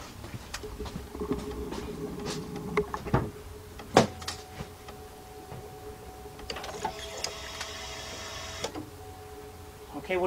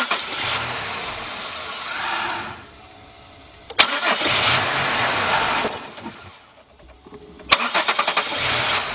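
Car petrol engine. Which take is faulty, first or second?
second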